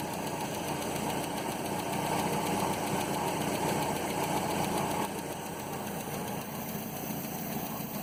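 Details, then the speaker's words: 1967 Land Rover Series 2a 109 at first start after cylinder head rework and install; light quick ticking of three or four taps a second over steady idle from one valve with clearance out of tolerance. "you can see it all along and there's one valve I can hear that's not quite within tolerance but aside from that"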